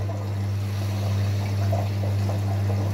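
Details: Electrolux EWS 1046 washing machine, never repaired apart from a once-broken power cable, recirculating water while filling to dissolve detergent: steady low pump hum with soft trickling, no grinding or rattle, normal.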